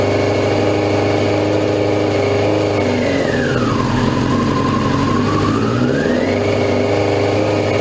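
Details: 2002 Yamaha YZF R6 after 6 years sitting, first start on fresh gas from an electric fuel pump: catches with a wandering whir that dips and recovers, unsettled. Fuel leak; owner suspected a sticking float, then found an untightened carb drain screw.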